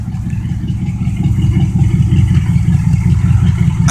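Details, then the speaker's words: 1972 Oldsmobile 98, 455 big-block V8, warming up after cold start, hole in left muffler: deep even burble with steady lope, no knocks or misses, building slightly; normal warm-up idle. "I got a hole on the left one but the right ones pretty good but she runs really good really happy with this car"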